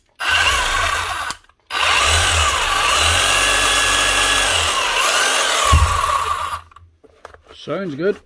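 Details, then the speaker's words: Hitachi DH40MEY rotary hammer after strip, clean and rebuild to fix the chisel lock and an oil leak: steady high motor whine with a fast even hammering buzz, cutting off and restarting cleanly; runs healthy. "Hopefully that'll sort out the oil leak and she should be hammering like a new machine again."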